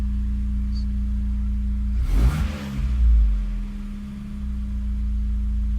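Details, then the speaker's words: Megasquirt-tuned engine during idle tuning: quick throttle blip rises and falls, then drops back to a steady, even target idle without hunting or stalling; normal return to idle. "It's actually better to rev a little bit high than it is to fall below your target. Just have it drop to your target more slowly."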